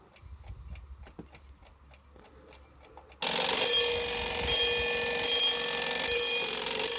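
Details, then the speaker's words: Badische striking alarm clock after repair: ticking then loud alarm ring swelling and fading every second or so, siren-like; owner suspects a slightly bent alarm escape wheel pivot, not confirmed. "It sort of goes between loud and soft, so I think that probably means the alarm escape wheel pivot is slightly bent."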